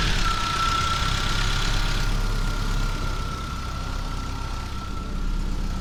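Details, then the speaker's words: Geo Tracker after replacing cracked exhaust manifold with header: steady even idle with smooth low rumble, no ticking or puffing; no exhaust leaks heard, though some welds may be incomplete. "Oh yeah, like a champ. Well, I don't hear any exhaust leaks, so that's good."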